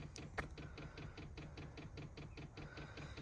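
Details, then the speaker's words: 2017 VW Crafter / MAN TGE diesel parking heater, installed under the seat and fed from the main fuel tank, priming. Quick, light dosing-pump clicks about five a second; normal pump clicking, though no fuel had reached the filter yet. "Okay, so let's prime it. You hear the pump clicking."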